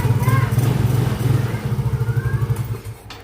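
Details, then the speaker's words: Yamaha X-Ride scooter engine idling after its non-starting fault was fixed at the worn starter: a steady, low thumping idle of about three beats a second, running evenly without misses. Normal idle after repair. "Selanjutnya kita starter. Nah, ini sudah nyala kembali ya, Teman-teman."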